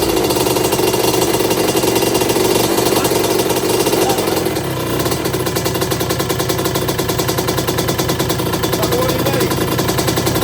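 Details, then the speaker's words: 1982 Suzuki RM125 two-stroke during restoration, after strong spark confirmed and suspected carburetor problem, with other part swapped in: crisp rapid popping, briefly dips then steady and even; sounds nice, running properly. "right yeah that sounds nice yeah like"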